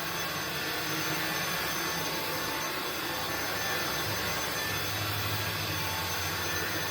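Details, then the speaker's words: INSE V120 cordless stick vacuum on medium power, battery around 40%, carpet cleaning: steady high motor whine drops to lower, softer pitch by itself with no input and no on-screen indication; third time it happened, cause unknown. "All right, there, it's going down all by itself. I don't know why it's doing that. That's the third time it's done it, though."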